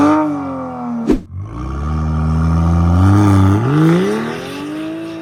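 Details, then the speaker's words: BMW X5 xDrive45e plug-in hybrid, stage 2 tune, OPF deleted, aftermarket valved cutout exhaust opened, comfort mode, not floored: loud, deep booming hum under low-rev acceleration rising with each pull, resonating low down; exhaust drone. "It sounds loud. It's not per se beautiful, but it makes it loud. And in that perspective, I don't always like these kind of systems. At low RPM, it resonates."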